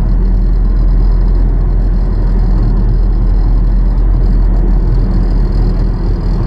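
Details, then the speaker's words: 2011 Nissan Rogue SL AWD, 2.5 four-cylinder, 167,000 miles, driving about 40 mph: steady low hum like a wheel bearing under road noise; owner suspects driveshaft or rear end; worn staked driveshaft U-joints replaced. "Sounds like a humming sound, almost like a wheel bearing, but I don't think it's a wheel bearing."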